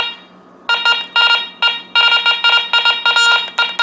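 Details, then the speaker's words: Garrett Ace 400 metal detector switched on indoors at sensitivity zero, still chattery after storms: irregular bursts of high buzzing tone over a steady hum, false signals from electrical interference; sensitivity to be bumped all the way down, air tests to be done outside. "even today after the storms pass it's still a little chattery so I'm going to bump it all the way down"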